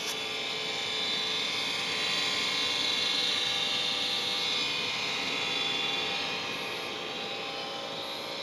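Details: Trane XR80 gas furnace, about 15 years old, still working but making a loud metallic whirring, buzzing hum concentrated in the upper range; owner suspects blower motor or capacitor, cause unknown.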